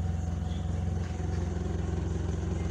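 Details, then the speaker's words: Engine with gas regulator issue, hose fitted without hole: even, steady low idle with soft regular pulse, no hunting; idle stable, closing it off causes changes and stalling. "kedengaran dari suaranya stabil ya."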